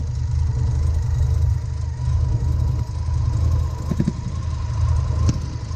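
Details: 1990 Mazda RX-7 FC turbo rotary after OMP delete and new intake gasket fixing a boost leak: steady, low, slightly choppy idle burble with no misses, stumbles or hissing; normal idle.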